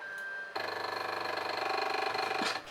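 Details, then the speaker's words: HICTOP S250 3D printer during bed leveling: harsh buzzing whine with rough pulsing for two seconds from the Z-axis stepper binding, because the acme lead screw was misaligned with the motor coupler. "yeah that's not good i quickly found out it was the z-axis motor that sound usually means some sort of binding"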